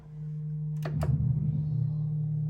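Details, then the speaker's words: Audio-Technica AT-LP120XUSB turntable connected to a Dell computer: steady low drone with a couple of clicks, worse when left sitting; hum suspected from the computer, as it works fine on other components; cause unclear. "So I'm not sure why we're getting this hum. I just don't know."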